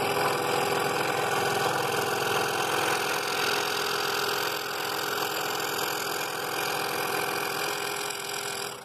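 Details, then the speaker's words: Scroll saw cutting slowly through half-inch walnut: even, rapid chatter of the blade at a steady level with no rattle until it shuts off. Normal, healthy cutting. "go really slow and let that blade just eat its way to that cut that i made in there"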